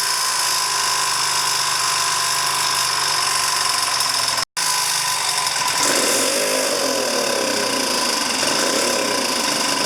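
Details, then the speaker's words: 2009 Genuine Buddy 125 scooter after CDI replacement: steady, even idle drone with no misses, surges or stumbles; starts and idles cleanly, though the owner says it still bogs down at the high end. "It's definitely starting up right away. It'll definitely idle fine."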